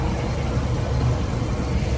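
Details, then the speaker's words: 2018 Bayliner VR5 with a MerCruiser 4.5 L V6, 200 hp, 42 hours: the sterndrive idles with a steady low rumble and even beat, no knocks, ticks or misses. Smooth, quiet, with no drips. "Sounds nice and smooth, quiet. Just wanted to show you all that. No drips or anything coming around."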